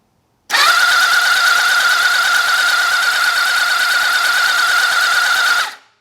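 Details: Old four-cylinder motorcycle (XJ650/CBX750 project) cranked during a spark check: the starter spins the engine steadily for about five seconds with an even whirring chatter and no firing; spark is confirmed on all four cylinders, no fault heard.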